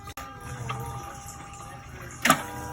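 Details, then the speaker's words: 2018 Kawasaki Voyager VN1700 with fuel line disconnected into a gas can, key turned to run to drain tank: click at key-on, faint steady pump hum, another click; normal fuel pump prime. "i'm sure any vehicle with a fuel pump on it uh we'll do the exact thing because you can hear a prime every time soon as you get the key"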